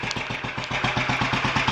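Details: Royal Enfield 500 Bullet warming up at idle after first start following top-end tuning (ported head, reseated valves, high-compression piston, cam timing moved one mark); even, steady thumping about nine or ten beats a second, no knocks or misses, a healthy idle.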